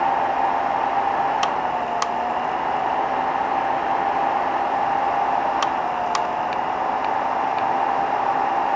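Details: 3D printer heat bed (BI V2.5) recorded from under the printer near the Rumba board: steady hiss, faint tone near 800 Hz, sharp paired clicks every few seconds, possibly a relay or heater switching; cause not confirmed.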